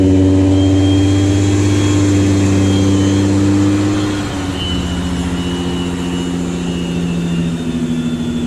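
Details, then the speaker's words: 1986 VW GTI MK2 with VR6 swap, cold start, after a few minutes: loud, very low idle with no throttle tension and a slightly lumpy beat dropping lower partway through; owner thinks it sounds like it's missing. "that's no throttle tension and it idles real low I mean like crazy low but I don't know and it also sounds like it's missing but whatever"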